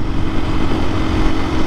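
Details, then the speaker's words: 2024 KTM EXC-F 500 dual sport under way after the chain was tightened by 2 mm: steady, even engine drone with a faint constant hum and no chain slapping or rattle; sounds healthy. "By the way, I tightened the chain and it is just awesome. It definitely needed to be tightened just a hair, 2 millimeters, and I don't hear it rattling around at all."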